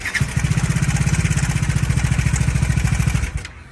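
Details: Bajaj Dominar 400 BS6 single idling: thumping at about two hundred beats a minute with a light metallic tick; timing chain, camshaft or crankshaft suspected; engine ticking noise, source unconfirmed.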